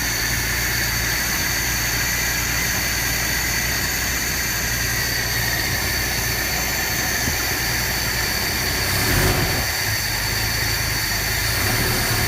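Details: 1976 Chevy LUV engine: an uneven, loping idle, and when revved it sputters, bogs and tries to die instead of picking up. Rough idle and bog on acceleration, cause unknown.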